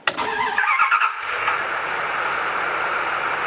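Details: Big V8 started with a Victsing 500A portable jump starter pack: brief crank fires straight into a steady, even idle with no stumbling or misfire; healthy start.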